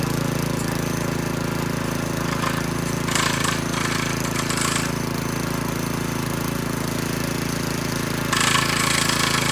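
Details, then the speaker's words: McClane 3.5hp edger with Briggs & Stratton engine, revived after years sitting with a carburetor tune-up, oil change and fresh fuel, started cold. A steady, even rattle at about 3.5 beats a second, with scraping bursts as the blade cuts. Runs well under load. "well this edger actually uh runs pretty good and cuts a nice line and everything"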